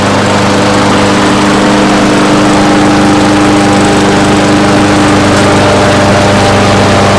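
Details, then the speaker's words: 4.5 horsepower Briggs & Stratton push mower: the single cylinder runs steadily but slow and low-pitched with no surge, because the governed engine speed is set too low; it is later adjusted to 3100 rpm. "It's a 4.5 horsepower Briggs and Stratton, and the RPMs are kind of low on it, so I wanted to show you guys how to adjust them on this model."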